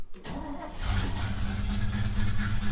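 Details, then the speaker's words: A Chevy 3100 pickup, carbureted with a leaking fuel pump, started with the choke out after two pedal pumps: a short crank, then it catches within a second and settles into an even low rumble. A healthy cold start. "Starts pretty good, actually."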